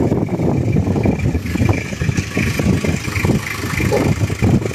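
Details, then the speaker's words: Original-condition 2003 Toyota Kijang Krista diesel at idle: steady diesel clatter with an even, slightly lumpy rumble and no odd knocks, described as the typical Kijang diesel sound; ordinary healthy idle. "Kalau kita dengarkan ini suaranya sangat khas kijang diesel. Raungan mesinnya suaranya kalau orang sini bilang kreng-krengnya itu suara khas dari dieselnya itu sangat."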